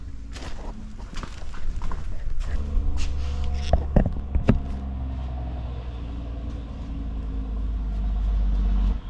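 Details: 2019 John Deere Gator XUV835R with replacement Chery SQR372 engine, idling during coolant bleeding: low, steady idle hum under some clatter from nearby handling; normal idle.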